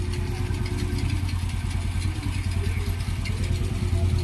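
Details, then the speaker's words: Honda Wave 125i (sold 2013, bought back after 12 years) under restoration; wiring still to be fixed. Steady, even low single-cylinder thrum at idle with no knocks, misses or rattles. Engine so far good; normal idle. "So far so good naman yung makina niya. Ayusin ko lang yung wiring nito."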